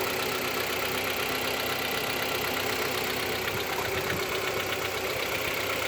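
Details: 2014 Kia Cerato cold idle during warm-up, heard best from the wheel area below: light, fast ticking about four per second, appearing in cold weather and gone after 3–5 minutes; no scoring, no oil consumption; owner suspects piston slap.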